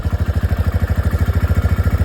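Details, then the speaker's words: TVS Raider 125 owned over 1.5 years, warm after 2–3 km riding: even single-cylinder putter at steady idle with slight top-end clatter; sound changes a bit when hot but normal. "देखो ये मेरी bike है ना normal sound है। अभी मतलब अभी मेरी बाइक दो या 3 कि.मी. चली है।"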